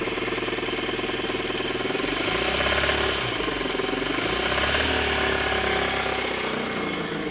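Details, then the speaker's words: Hyundai G4GC engine after the check engine light came on, knock starting while accelerating: fast, fairly even knock about four beats a second; engine runs smoothly without notable vibration. Owner suspects the clutch, unconfirmed; disassembly planned. "И вот начался вот такой вот звук. Бьет сцепление."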